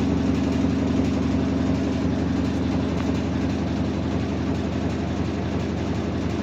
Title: Washing machine sounds like a bus engine